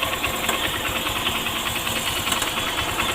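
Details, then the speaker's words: Honda Shine motorcycle idling after a new timing chain was fitted; uneven tinny metallic clatter, intermittent, sometimes very loud, because the cam chain tensioner is not working and leaves slack; timing chain rattle from faulty tensioner. "ने लगता है यह जो आवाज दोस्तों यह timing चैन का आवाज है और मैंने हारी अलार्म उसका टाइमिंग चैन है डाला है तो फिर भी यह आवाज़ क्यों कर रहा है भेजो आवाज कर रहा है यह टेंशन में की वजह से इसका टेंशन हर काम नहीं कर रहा है"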